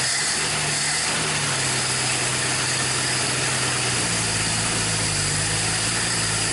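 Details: 1961 Dodge Lancer, Chrysler 225 straight-six, first start in 30 years: steady even idle with smooth low hum, no knocks or misses; healthy and settled.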